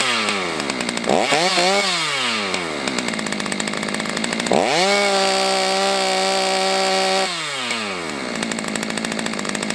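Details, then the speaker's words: Stihl MS290 chainsaw after repair: revs to a steady high scream, holds, drops cleanly to idle; healthy, though top rpm sounds slightly low, owner thinks adjusting the high-speed screw would raise it. "I'm pretty happy with that right there so far. I know if I tweak that high-speed screw, I can get those RPMs on the high-speed to kick up."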